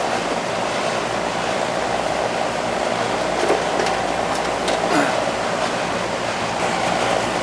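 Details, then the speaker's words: Carrier AC condenser unit previously not cooling, after compressor common wiring reconnected and tightened: starts and runs with a steady, even rush of fan air over a low hum, no clicks or rattles, cooling; normal condenser operation. "all right let's see if it starts see if it starts up look it's running getting cold"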